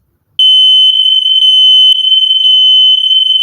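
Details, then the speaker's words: Hardwired interconnected smoke detector, said to also sense carbon monoxide, green power light on, in a house under remodel: a loud, piercing high-pitched tone held steady for over three seconds; the test shows it works. "i know it's on i can say the green light well we're not gonna fight with it but just let you know it works"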